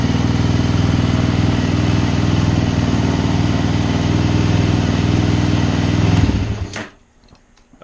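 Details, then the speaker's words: Suzuki LTZ 400 quad after tune-up, battery at 12.7 V, started in the shop without load; even, steady thumping at about four beats a second with no misses before switch-off; healthy idle. "course like everything else it sounds sounds good sitting here in the shop"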